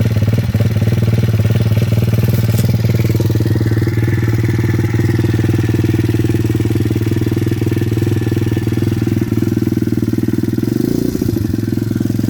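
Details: Welsh Pit Bike (WPB) 170 Detroit single-cylinder on fresh fuel, unstarted for over a year, stone cold on choke after priming. Steady, even beat at about four pulses a second with no misses or knocks. Normal cold idle, fired up easily.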